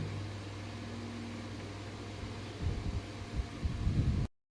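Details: Table fan after home core coil repair and full service (previously wouldn't run): steady low motor hum with even tone for a couple of seconds, then handling bumps; fan now runs normally.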